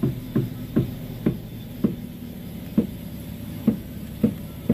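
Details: Front wheel of an Avanza/Xenia-type car, sharp metallic "tek tek" ticks about twice a second, slightly irregular, heard while steering/turning the wheel, steering not yet loose; worn tie rod end knocking.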